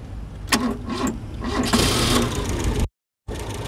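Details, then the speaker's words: Dacia after tightening a loose earth point on the back of a box: quick crank, catches at once and revs up cleanly, then settles to a steady idle. This earth caused the no-start since the journey began in Romania. "that was it that earth was it and that's been the problem the whole time since we started our journey in Romania"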